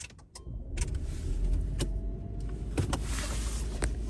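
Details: Hybrid that wouldn't start from a low high-voltage battery (332 V, 1% charge), started after repair: a few clunks and clicks, then a low, steady rumble settling to an even idle while the battery voltage climbs. Normal start and idle.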